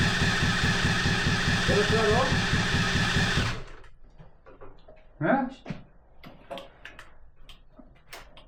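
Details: 125cc drift trike engine, forklift-damaged, with battery booster on: steady cranking churn for about three seconds with no firing, then stops; spark is good but no fuel arrives, and the owners suspect a clogged carburetor.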